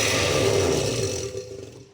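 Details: Oster blender before repair: loud rough grinding roar that fades as the motor spins down; very noisy due to worn motor bushings, fixed by replacing bushings and bridge.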